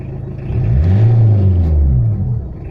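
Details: Tata Indica diesel after the injection pump was calibrated and its rotor blade and camshaft replaced, rough idle solved: deep, even rumble that swells briefly and settles with no stumble or misfire, normal idle.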